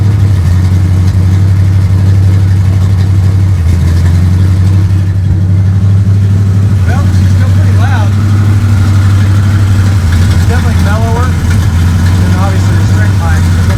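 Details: 1955 Chevrolet two-door station wagon V8 with a newly installed custom exhaust built from mixed parts, dumping before the rear axle: deep, even rumble holding steady with a throaty note, no puffing leaks or rattles; runs healthy.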